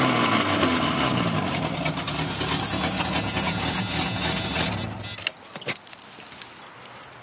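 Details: 1996 Jeep Cherokee Sport 4.0: loud, raspy rev with harsh open exhaust bark from an exhaust leak at the Y pipe, slightly leaking when bought and worsening over 6 months; also has a misfire.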